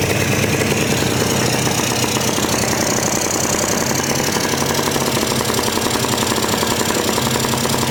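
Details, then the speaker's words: 1998 Polaris 400 liquid-cooled two-stroke ATV with a new aftermarket cylinder kit, run without its airbox: fast but ragged, spluttering beat; owner suspects it is loading up, unconfirmed. "Sounds like it's like it might be fouling. Like I mean not fouling but loading up. It's hard to tell because I don't have an airbox."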